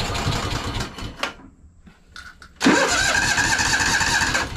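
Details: Free Craftsman DLT3000 lawn tractor that wouldn't start: after draining water-contaminated fuel from the carburetor bowl, the starter grinds and the engine stumbles, stops, then catches raggedly while the bowl refills.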